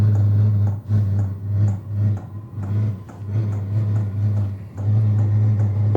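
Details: Vevor diesel air heater starting up on DC power from a Noco NLP20 lithium battery: low steady hum pulsing about twice a second with faint, quiet clicking/ticking as it lights and warms up; normal startup.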